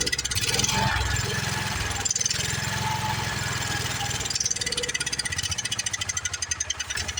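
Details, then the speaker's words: Long-sitting Wheel Horse tractor single-cylinder engine fires quickly and evenly on a prime, then the beat falters and thins; it is not picking up fuel from the tank. "all right don't sound too bad sounds like a pretty good running on motor to me so I guess we're gonna have to uh we're obviously not picking up fuel though so we need to go through on that"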